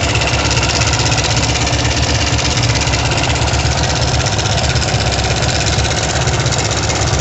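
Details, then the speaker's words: Kovi Pro KT, zs177mm single-cylinder, 1300 mileage, 44 engine hours, knocking after a ride, and a screwdriver stethoscope places it in the head: at idle a busy, uneven tapping from the top end over the exhaust beat. Timing chain knock from a seized tensioner. "Только что с помощью отвертки прослушал, где больше всего стучит."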